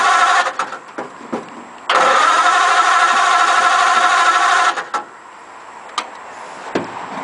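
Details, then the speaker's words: Model A roadster on '32 rails with 276-inch flathead, parked outside about 18 months, carbs just primed: starter churns steadily about three seconds with short stabs before and after, coughs once but never starts; owner then tries choke. "give it a minute hopefully that'll stop it did cuff once there's no I suppose I could try a choke"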